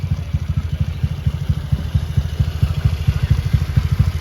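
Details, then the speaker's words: Honda Beat bored up to 120cc, original injector, ECU not yet remapped: even steady low idle, smooth and quiet, no tapping or clatter from the camshaft. "mesinnya halus dan tenang. Poros kamnya juga tidak berisik ."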